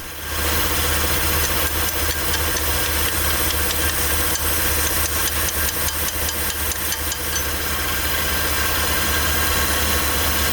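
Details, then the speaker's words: Flood-submerged Suzuki Cappuccino 3-cylinder turbo after tapping the stuck fuel injector free: steady, even idle with light regular ticking, no dropped beats, all cylinders firing; water from exhaust is condensation; normal idle. "chắc chắn có vấn đề với kim phun mà tôi đã gõ với hy vọng rằng nó sẽ giải phóng cái bị kẹt"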